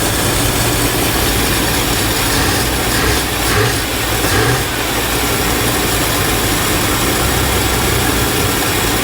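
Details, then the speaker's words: 1986 Chevrolet K30 dually carbureted V8, first run after sitting, oil pressure and alternator charging, most carburetor vacuum ports open, fuel pouring out, presumably from the pump: fast raspy idle that never settles; high idle from open vacuum ports. "So one glaring issue we have is most of the vacuum ports are open now. We have to kind of reconfigure this thing."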